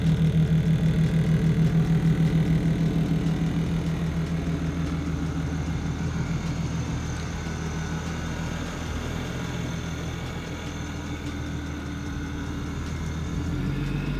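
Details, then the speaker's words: Supercharged car after a supercharger oil change, described as easy to start and turn-key every day: steady, even idle with a smooth low drone, no knocks, misses or whine; running healthy. "this car is a blessing man it's easy to start up it's turn key every single day basically like it's off the lot"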